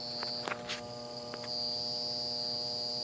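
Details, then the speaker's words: Goodman AC condenser, hot day, outdoor fan not running and not cooling: steady electrical hum with no fan or compressor starting, from a failed, swollen run capacitor; compressor likely not in thermal overload. "Yeah, she's humming over there. She was just humming. So hopefully the compressor has not went in thermo overload."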